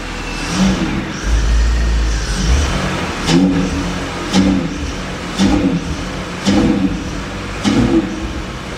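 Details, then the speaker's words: Drift car after a hydrolock from ingesting water at a circuit: repeated throttle stabs, but the engine bogs and won't rev, with no smoke. A wet MAF sensor is suspected as the cause. "She really don't want to run. Any smoke? No smoke."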